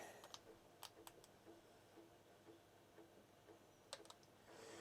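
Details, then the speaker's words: Commodore 1551 parallel floppy drive, broken unit repaired with a new interface, test with a formatted disk: quiet irregular light ticks and clicks as the head steps across the disk; drive sounds healthy. "and you can hear it ticking so on to the next test"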